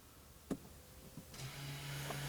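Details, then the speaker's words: 2018-2024 Toyota Camry after rear wheel hub replacement, key on two clicks, brake applied, parking brake lever held 5-6 seconds to leave service mode: soft clicks then a steady low hum as the electric rear parking brake motors engage normally. "Hold it while the electronic motors do their thing. Here we go, it's all set."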